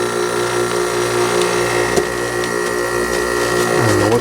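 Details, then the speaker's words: Arctic King WWK05CM81N 5,000 BTU window air conditioner, made 11/2017, R410 refrigerant: compressor engaged in cooling mode, a steady hum with buzzing vibration over the fan noise that settles after seconds; vibration cause unknown, compressor sounds fine. "don't know what those vibrations. There we go. Not a bad sounding compressor."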